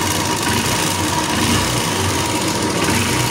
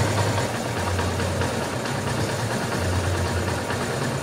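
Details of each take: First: Honda Invicta CB150 single-cylinder, before repair: busy mechanical clatter over a fast, uneven idle, loud with vibration when riding; cam chain and rockers suspected, top-end wear from lubrication failure points to worn rockers. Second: Honda Invicta 150 / CB150 single-cylinder after top-end repair of cylinder head and rocker arms worn by lubrication failure: steady, even, low regular idle with no top-end tapping; engine sounds healthy.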